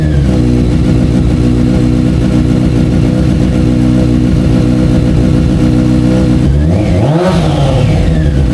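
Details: F4i four-cylinder motorcycle after replacing burnt, loose spark plugs (suspected cause of cutting off), throttle bodies not yet synced: busy, even running with a clean throttle blip rising and falling; normal running.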